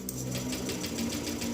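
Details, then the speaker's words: Honda Vario 125 scooter with a severe no-start: the starter spins the engine in a quick, even whir of about seven pulses a second, long cranking without catching until the battery drains; low compression from a leaking exhaust valve. "Nah, kayak gitu terus ya. Panjang sekali. Bahkan ini udah kategorinya parah karena enggak mau hidup."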